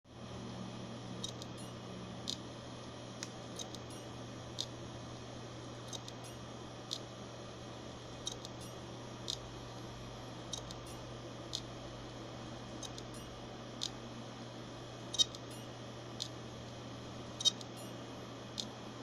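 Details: Hard drive making sharp, bright clicks about every two seconds, somewhat uneven, over a low steady hum; owner asks whether it is something to worry about.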